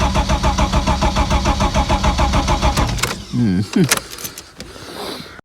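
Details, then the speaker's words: Ford Sierra Mk1 Estate 4x4 Ghia 2.8i: fast, even cranking about three and a half turns a second for three seconds without catching; cranks, won't start; owner tries brake clean. "not starting now is it [Music] hmm that's interesting because i haven't touched anything"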